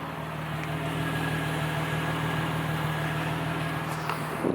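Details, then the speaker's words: Nissan Z with a low-compression turbo engine, warm after about 15 minutes idling, checked against a high-idle problem from a swapped throttle body: low, steady, quiet hum near 700 rpm with an even beat and no misses or hunting. "okay the z sounds positive it's been idling out here for about 15 minutes and uh i can barely hear it"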